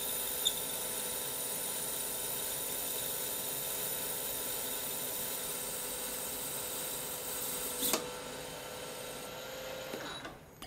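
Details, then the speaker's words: CBN insert turning tungsten carbide on a lathe at 0.3 mm diameter reduction: steady cutting hiss with a thin high squeal at what is likely the machine's limit; the insert may also be worn. "point three millimeter diameter reduction is really pushing it on my machine I can hear the the insert squeak a little bit and I think that's the limit"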